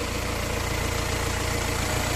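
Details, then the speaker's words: 2019 BMW X1 2.0 diesel automatic, about 11,000 km, engine bay: steady, even diesel clatter at idle with a regular low pulse, no misses or knocks; the engine idles smoothly and evenly. "รถสตาร์ทเครื่องอยู่นะครับเครื่องเดินนิ่งเดินเรียบนะครับเสียงเครื่องพอๆเลยนะ"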